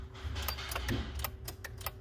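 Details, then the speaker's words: 2013 Ford F-150 with intermittent no crank, dead instrument cluster, headlights staying on key off, CAN bus communication faults, modules unplugged: rapid uneven BCM relay clicking from the dash over a low hum, a body control module communication fault. "hear the bcm clicking and stuff like that uh when you try to start it the headlights are staying on even key off"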